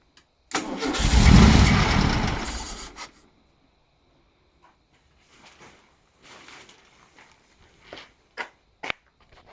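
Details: 1976 VW Beetle, fuel-injected USA model, injectors tested and cleaned: starter spins the engine briskly about two and a half seconds with no firing stroke; cranks but won't start. Owner says it runs great with the MAF sensor unplugged, but has no throttle.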